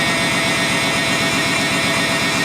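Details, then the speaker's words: Water-pump hose replaced, test start for leaks with air box and sensors disconnected; engine idles high, a fast even pulsing drone above normal idle speed, attributed to the unplugged sensors. Hose connection looks dry. "Seems to be all right. It's idling high, obviously, because it doesn't have any of its sensors hooked up, but"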